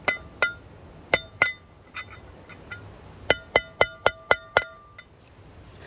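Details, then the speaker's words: Caravan wheel bearing service: sharp hammer taps in bursts with bright ringing ping while driving the bearing race into the hub; ping should change once race is fully seated; race not yet fully seated. "so what you're listening for if you listen to this this tiny sound we're listening for that to change right"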